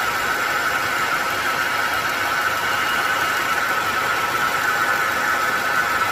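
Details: Car engine at idle: steady mid-pitched whine over an even idle, unchanging; engine noise caused by a failing air-conditioning compressor.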